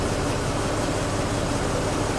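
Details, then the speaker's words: 1925 Rolls-Royce Piccadilly idling on choke just after a cold start, warming up, with fuel and oil pressure up. Steady, even low rumble with no knocks or stumbles. Normal cold idle. "Just let the motor warm up a little bit."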